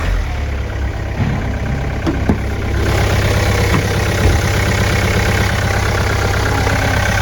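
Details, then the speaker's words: 2013 (63-plate) Hyundai iX35 1.7 diesel, 124,000 on the clock, great service history, auction purchase: quiet, even idle with a soft steady beat and no knocks or rattles; normal diesel idle. "Let's listen to it. Bodywork's in really good condition. Oh, very quiet."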